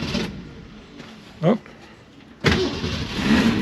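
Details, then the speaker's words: 1965 Ford Mustang coupe, base model, inline six with three-speed manual, started in neutral: near silence, short crank, fires instantly and settles to a steady even idle; a clean, healthy start. "Le moteur, c'est le moteur démar quart de tour, on va l'entendre d'ailleurs, hein."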